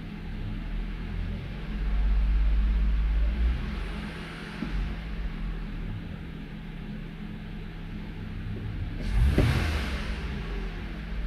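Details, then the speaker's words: Toyota Avalon misfiring mainly when cold, confirmed on cylinder 1, with an injector suspected: low, lumpy idle with an uneven pulse, occasional stumble and felt shaking; a cylinder misfire. "May pampanginginig ka. Ramdam yung panginginig"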